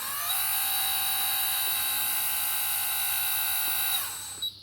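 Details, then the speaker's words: RC wheel loader hydraulic pump started via Futaba FX20 right-hand switch: high steady multi-tone squeal at constant pitch about four seconds then cutting off; normal hydraulic pump whine for this pump. "you can clearly hear the pump actually squeal when you're running running this particular pumps"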